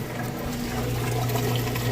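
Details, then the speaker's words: Whirlpool top-load washer moving from wash to rinse, in neutral with drain engaged: steady low pump hum with water rushing through, even and uninterrupted; drain pump emptying the tub fast, normal operation. "Here, draining that water out nice and fast."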